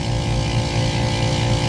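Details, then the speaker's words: AC compressor after new contactor, 209–210 V on all three legs, 21 A versus 60 A on the other, 108°F ambient: steady deep hum with coarse gritty edge; compressor sounds rough and worn, likely near failure. "So we've got correct voltage. It just sounds like dirt."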